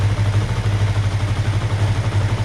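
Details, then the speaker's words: 2005 Kawasaki Ninja 500R parallel twin, first start after sitting 10 years with cleaned carbs: low, lumpy idle swelling and sagging, needing repeated resetting; owner suspects air leak at intake boots, too much air. Unstable idle. "That's about where the idle should be, but I keep having to reset it because, again, it's getting too much air."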